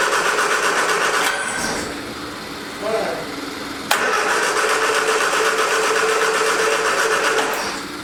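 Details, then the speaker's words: 1979 Triumph Spitfire on its original fuel pump, with starting fluid sprayed in the carb and the original battery charged: steady cranking about four beats a second with a brief catch, never runs. Owner suspects the fuel pump isn't working, no fuel reaching the carb. "i don't think the fuel pump's working take the fuel line off the car battery's starting to run down see we got it yeah we got no fuel so i don't think the fuel pump is working like it's supposed to"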